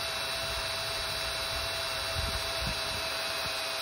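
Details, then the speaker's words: Snaptain SP-510 drone, close to 200 hours: steady high whine with gritty buzz during attempted takeoff, bottom-left prop spinning slower; worn motor bearing whine, fix is replacing the motors. "that was the bearing noise"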